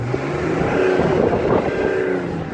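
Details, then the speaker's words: Audi 3.0 TDI after injector removal, cleaning and new copper washers and O-rings, previously tapping/chuffing like a steam engine: revs cleanly with even note, tapping gone; an injector fault code still shows in VCDS. "but the engine is sounding sweet over the house done in a long long time"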